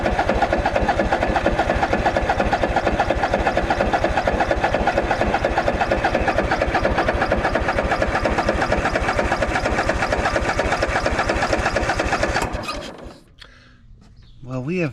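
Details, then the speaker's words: Craftsman DYS4500 riding mower, 26 hp Courage engine, sat over a year: steady rhythmic cranking about two beats a second for twelve seconds, never catches; owner suspects clogged fuel filter, barely blows through, decides to replace it. "nothing at all. Maybe this filter is clogged. We'll take it off."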